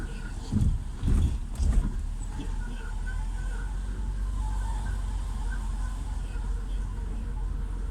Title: Sound of bad bearing with clearance in hub bearing) صوت البيرنغ إذا خراب مع فضاوه في ال hub